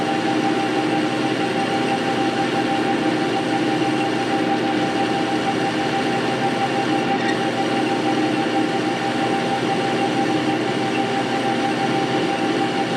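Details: Metal lathe bought non-running and disassembled, running after cleaning, painting, reassembly and rewiring: even steady hum with constant whine, no knocks or rattles; runs smoothly and healthy.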